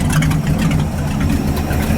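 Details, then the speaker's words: 1978 Ford F-700 V8 with stock cam, after new plug wires and during tuning, running rich and smoky: deep lumpy, stumbling idle with irregular popcorn-like pops. Rough idle with popping. "It shouldn't sound like popcorn popping. This doesn't have a cam in it or anything special."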